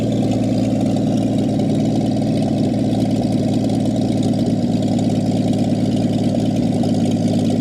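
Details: 1959 Chevy Biscayne, sat in a salvage yard for years, first run with fuel pump disconnected and running off gas in the dripping carburetor: even, steady low idle with a soft regular beat, no knocks or misses; very smooth.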